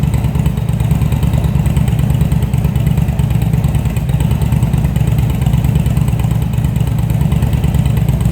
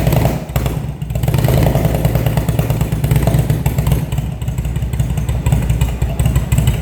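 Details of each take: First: Engine after rebuild of CV carbs (vacuum slides), cold, on a remote fuel bag with airbox and tubes off. Rough, lumpy idle with uneven pulses about three per second; needs tuning once the airbox is refitted. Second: Engine started after a carburettor rebuild, fed from a remote fuel bag, after winter storage: strong even low rumble with no misfire or knock, holding steady through blips; starts and runs healthy.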